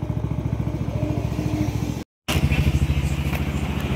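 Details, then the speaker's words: Yamaha Nmax v2 single-cylinder after engine refresh and tensioner replacement, previously noisy: even, steady idle putter with no knocking or rattling; old noise gone, runs clean. "Okay, umandar na siya. So wala na yung dati niyang tunog."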